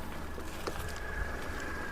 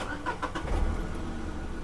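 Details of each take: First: Used car (Radico engine shown) being inspected, idling with bonnet open: quiet, steady, even hum with no misses, knocks or surging; smooth, consistent firing, no abnormal sound. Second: Used car at 12,000 km that has not been serviced, started in neutral with the lights on: a few starter cranks before it catches and idles. It needed two cranks, blamed on the missed servicing; the battery is said to be good.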